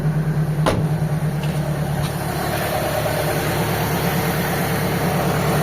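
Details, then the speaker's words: Car AC compressor engaged and running smoothly at steady idle after evaporator replacement, vacuum and leak check, pressure switch not bypassed while recharging refrigerant; even hum, no clatter or squeal; gauges read 50 PSI high side, low side still empty. "Gumano na yung compressor mga boss nang hindi nakarekta yung pressure switch."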